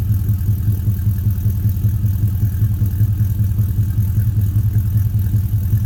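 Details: 2000 Chevy Tahoe after swapping a knocking 5.3 for a 6.0 V8, with longtube headers, Y-pipe, and single-chamber muffler fitted before the Flowmaster: light revving with a deep, even rumble, no knocks or rattles; healthy.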